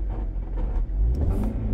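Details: 2004 Honda CR-V, 152,000 miles: steady low rumble from the gearbox only when held in reverse, gone in forward with all other gears fine. The cause is not confirmed by ear.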